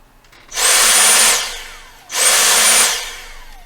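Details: Dyson SV03 vacuum, reassembled and reconnected to the front-end roller head (reported fault: rollers not turning): two short bursts of high, steady motor whir with even brush hum, spinning up and down cleanly; normal running.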